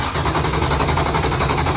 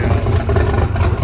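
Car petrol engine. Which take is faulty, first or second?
first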